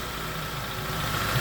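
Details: 2011 Jeep Compass AWD 2.4 L, normal idle just after alternator replacement and belt refit: steady even hum with a faint high whine on top, no knocks or stumbles; alternator measured putting out 14.6 volts, everything running okay.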